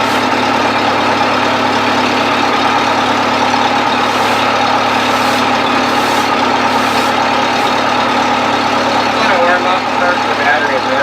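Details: 1970s Bobcat 610 skid steer after cold start on choke: steady, even idle with constant low drone, no knocks or misses, settling in smoothly; runs good.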